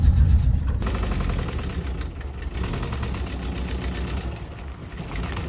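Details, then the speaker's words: 1968 VW double cab Transporter, stored 5 years, driving: loose uneven knock near four per second in the low rumble; engine knock, source unidentified. "And uh, some of you VW guys out there, let me know if you have any opinions or anything or if uh you hear anything in the video and you might be able to identify what that knock could be."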